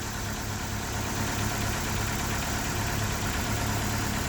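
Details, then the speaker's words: 2001 Ford Escort ZX2 warming up, not yet at operating temperature, no smoke: even, steady idle with a soft regular pulse and no misses or knocks. Normal idle. "But yeah, she runs getting warmer. She's idling well. She's not smoking yet. Of course, she's not up to temp."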